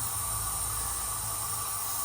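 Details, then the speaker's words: Seat Ibiza FR 1.8T with long-running running problems: a loud, constant hiss as the boost system is pressurised to about 13–14 psi, with a massive boost leak from the push-connect joint below the turbo; the seal is to be checked. "push connected joint down from the turbo and it's leaking from there i'm only putting about 13 or 14 psi in there and it's a massive leak"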